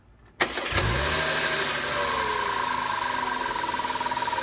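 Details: 2005 Audi A4 3.2 V6: engine cranks and catches, then settles to a fast, light, sewing-machine ticking over the idle; abnormal noise, cause unknown.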